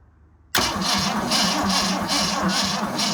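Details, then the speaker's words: 1965 Ford Galaxie V8 that had water in engine, idling on petrol: quick even top-end tapping about four per second over idle; cause still under investigation, unknown. "investigation into the tapping is ongoing"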